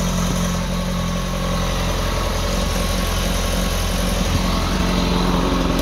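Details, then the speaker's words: 2006 ZX-10R inline-four, first start of the day: a steady, even idle with a smooth low rumble and no ticking, knocking or rattles, and no smoke; a healthy engine. "let me start it for you so you can kind of hear it [Music] you know smoke there's no issues with no engine rattles"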